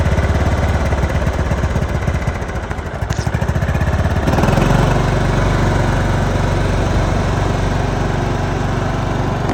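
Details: John Deere LT155 riding mower, a no-crank, no-start that ran about 5 seconds then shut off; started with choke: chugging at first, then a steady, even drone without misses or surges; running healthy.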